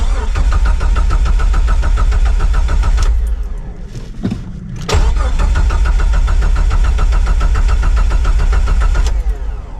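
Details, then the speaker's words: 2000 Jeep TJ that died on the road, with ignition coil codes for cylinders 1-4: two bursts of steady cranking without catching after a coil rail swap; a blown 20 A fuse later found. "Well, that wasn't it. Darn it. Wonder what else it could be."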